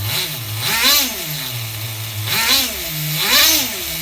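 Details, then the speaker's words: HPI RS4 nitro RC F-150 pickup on 16% nitro, engine earlier overheated to about 350 degrees running rich; retuned a few screw turns: blips then drops to clean steady single-stage idle, no hunting. "I don't know if you guys seen that but just a few turns of the screw I achieved single stage idle again"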